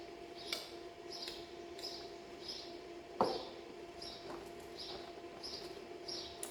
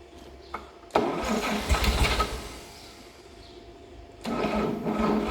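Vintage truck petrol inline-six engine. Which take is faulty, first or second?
first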